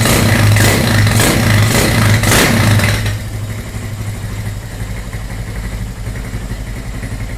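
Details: GL100 built with a 250cc engine and recorded in a small studio. Strong throttle blips for three seconds, then a steady, even idle thump with no knocks or rattles; the freshly built engine is healthy.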